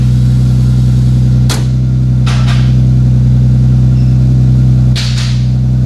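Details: 2JZ-GTE twin-turbo swapped MKIII Supra after reassembly, five-dollar failed part fixed and turbo blankets added: loud steady low drone with even idle throb and a few brief hisses; settles and idles cleanly after starting.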